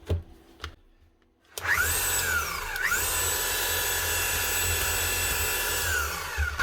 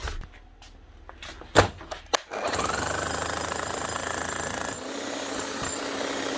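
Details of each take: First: Hilti TE705 demolition hammer that runs but does not hammer: the motor spins up to a steady high whir and winds down with no hammer blows, and the tool holder is rusted and stuck; suspected jammed solid or stripped inside. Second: Bosch GSH 11E demolition hammer after a new bearing, new brushes and an adjusted red-light contact. Steady motor hum with a fast, even hammering rattle and no grinding: normal running after repair.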